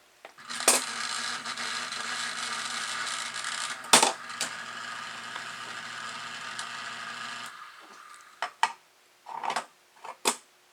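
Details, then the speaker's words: Vintage (dated June 1950) 751 log loader lift solenoid after electrical tape was added to the plunger end so it no longer travels too far in: soft steady hum, light clicks, no harsh buzz; solenoid now operates quietly. "isn't that nice and quiet yours can be nice and quiet too a little bit of electrical tape applied at the end of that piston so it doesn't go all the way into the solenoid"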